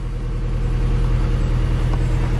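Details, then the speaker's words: 2004 Vauxhall Astra H (Mk5) with a head gasket issue, hard start and engine light on, heard at the engine then the exhaust: a low, lumpy, uneven idle chuffing at the tailpipe. Misfire, rough idle. "you can see this juddering a misfire and if I take you to the exhaust you can also hear it back here as well she's chuffing away like a choo-choo train and does not sound good"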